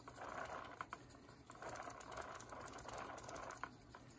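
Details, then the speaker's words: Light, uneven rattling whir in soft bursts as new TDK normal-bias tape is hand-wound from the cassette onto the supply reel of a roughly 50-year-old Nagra SNN recorder; the cassette spool vibrating in its shell. "That noise is the spool inside the cassette going like this, vibrating."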